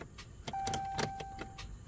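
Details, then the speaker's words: Jeep Cherokee, 164,000 miles: key on with warning chime, one sharp click and no cranking; starter has failed. "y'all hear that just a click yes you need a stter guys"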